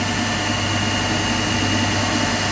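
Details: 3-phase induction motor coupled to DC compound machine, one phase disconnected, no load, about 230 V, around 1486 rpm: loud steady coarse hum with thin high tone, no speed change; single phasing, running on two phases.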